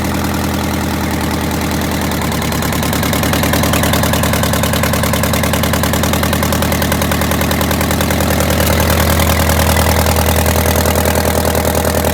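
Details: Detroit Diesel 8V92TA in a Wanderlodge RV idling after a replacement injector went in (old one failed testing): heavy, deep idle with a lumpy, loping beat, still missing on one cylinder, later traced to scored and cracked liners.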